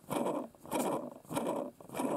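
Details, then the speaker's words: Hand-spun small brushless quadcopter motor (Eachine 2306 1650KV vs Racerstar 2205 2300KV): rough, gritty grinding from bearings damaged, probably by dust, unlike a new motor. "of this one are damaged I think by dust okay and that's a new motor that sounds totally different"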